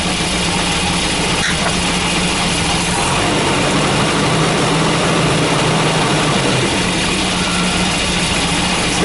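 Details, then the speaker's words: Volvo B230 redblock after swapping the fuel pressure regulator: idle still uneven and lumpy at about three and a half pulses a second over a steady hum; running rough, cause not confirmed. "better I think probably the engine Ms are making it seem even worse than it is but obviously it's definitely not running how it should either"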